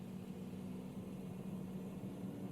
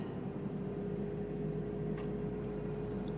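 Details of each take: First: BMW i3 switched on after fitting a new water pump, while diagnosing a drivetrain error; the pump is heard from outside. A quiet, steady low hum at even pitch with no grinding: normal coolant pump start-up. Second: BMW i3 after new water pump fitted, at switch-on: steady even whir, constant mid-pitched tone and low hum as front cooling fan comes on, unwanted; drivetrain error seemingly no longer appears, owner suspects faulty EDME unit.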